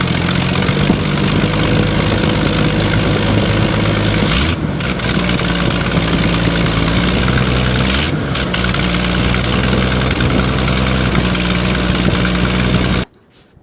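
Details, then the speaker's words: Old bullnose Ford 300 cu in six after one-barrel to two-barrel carburetor swap: strong even idle with a few crisp throttle blips rising and settling cleanly, no misses; sounds much better, though fuel economy later unchanged at 10 mpg. Normal running. "Man alive, listen to that. This sounds 1,000,000 times better."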